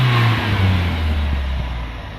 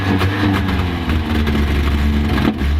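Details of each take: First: Toyota van, warmed up, after the weak new fuel pump (dribbling, very low pressure) was replaced with a factory pump: revs up cleanly and settles back smoothly with no misfire, flat spot or hesitation; runs healthy. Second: Toyota van engine after swapping to cleaned, tested 5M-GE injectors: the misfire is fixed, but it revs to about 3000 rpm then stumbles and breaks down; spark was suspected first.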